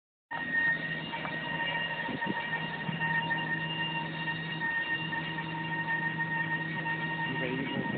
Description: Bmw E90 328i making a crazy noise. Any ideas?